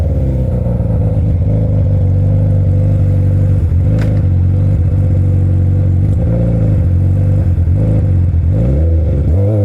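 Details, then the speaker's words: Yamaha R1 (5PW) with slip-on exhaust, servo delete and K&N filter, after recent maintenance: a loud low drone with a choppy, pulsing surge at low revs when pulling away on smooth throttle; cause not found. "Cause like I'm trying to take off and keep smooth throttle, and this thing is like da da da da da da. It's fucking doing it right now."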